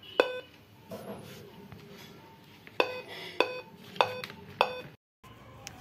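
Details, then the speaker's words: Dell Inspiron 15-3521 laptop powered on with the keyboard disconnected: one beep, a pause, then four sharp beeps in a quiet room, with no display; removing the keyboard didn't fix it, cause unknown. "Against him sound आ रही है तो जैसा कि you tube videos में बताया गया था कि कीबोर्ड अलग कर देने से यह जो साइड की प्रॉब्लम है डिस्प्ले की प्रॉब्लम ठीक हो जाती है दोस्त ऐसा कुछ नहीं हुआ है"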